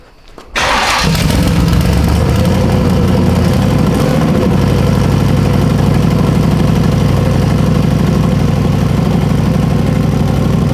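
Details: Freshly built, not yet broken-in carbureted 421 small-block Chevy V8 for an S-10, first start after priming oil pressure: brief crank, then a steady, even, crisp idle with no knocks or misses; healthy start.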